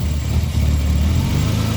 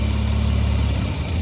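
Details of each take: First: Right back to normal. Let's try one more time. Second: Mitsubishi Eclipse at idle, vacuum applied to the EGR valve with a gauge: a steady low idle that falters and stalls at only about 4 units of vacuum. The EGR opening under light vacuum stalls the engine.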